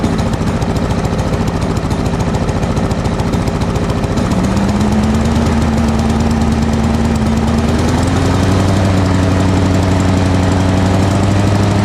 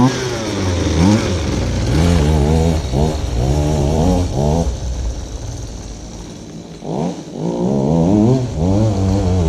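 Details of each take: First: Lawn mower single-cylinder with carburetor swapped from another mower, governor spring suspected out of adjustment: steady busy chug at fixed pace, pitch stepping up slightly but never reaching full revs; runs but lacks power, cause unconfirmed. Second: Goped-style folding scooter, small two-stroke, reassembled after repair, started on choke: buzzing and revving in short blips, picking up cleanly each time; runs good, normal.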